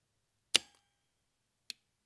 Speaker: see LEDs change color changed to a frosted white we hear the relays clicking and we drop to 0.8